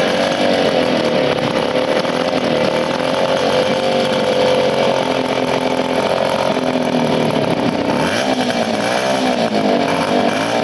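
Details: 1975 Motobécane Motoconfort 125 LT2 two-stroke, first start after restoration following engine failure in late 1990s, new crankshaft and gearbox bearings: high buzzing note revving up and dropping back cleanly, no knocks or rattles; normal running.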